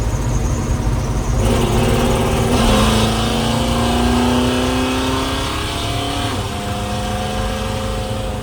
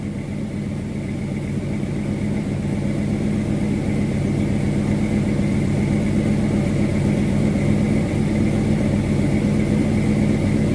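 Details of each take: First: 1979 Little Red Express truck on its first test drive with a new, not fully tuned engine (exhaust leak at the head), shifting into third, kickdown, about 55 mph: a cleanly rising note and an even cruise. Normal acceleration. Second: 1979 Dodge Little Red Express with a new engine, first test drive, not fully tuned, AC on, about 185 degrees and 50 psi oil pressure at hot idle. A faint quick puffing tick rides the exhaust note from a leak at the head: exhaust leak.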